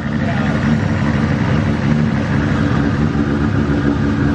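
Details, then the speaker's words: Brand-new 3.4L 2JZ at idle after first start: a steady, even, smooth low rumble with no knocks, stumbles or ticks, much smoother than before, though oil is seen leaking at the front main seal. "of good news kind of bad news car started great sounds great head super smooth even the way that idle sounds a lot smoother"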